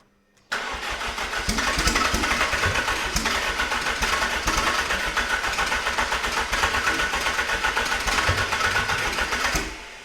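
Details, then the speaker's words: Fiat Tipo Sedicivalvole 16v turbo first start, no vacuum connected: catches and runs a fast, uneven, hunting idle; vacuum line left open blamed, to be blocked off, oil cooler pipes not tight enough. "It was the vacuum. We need to block that off."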